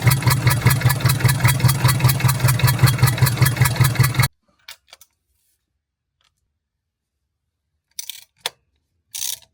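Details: 1975 Land Rover Series 3 109" with Perkins 4.203 diesel idling: rhythmic chuffing pulse about two and a half per second, then shut off; blown head gasket.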